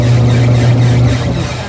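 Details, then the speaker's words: Empty twin-tub washing machine wash motor running on a newly made dual capacitor, replacing the 4-wire capacitor whose dryer section had weakened: loud, steady low hum, a bit noisy because the tub is empty, no grinding; normal running. "Yan mga teknik, kaya medyo maingay yan, wala kasing laman."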